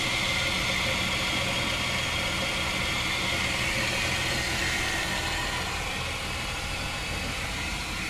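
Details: Chrysler 300M 3.5L engine at even idle with a regular light knock, roughly four per second, riding over the engine note; internal knock, cause not yet found.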